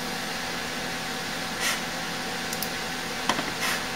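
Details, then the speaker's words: AMD FX 8120 desktop, about 10 years old, running Windows 11 at full load; CPU around 60°C per motherboard; loud steady rushing cooler fan at full speed with faint hum, no ticking or rubbing, warm exhaust air; normal. "And I can hear that fan, it's just a screaming. The air coming out the back of this thing is definitely warm."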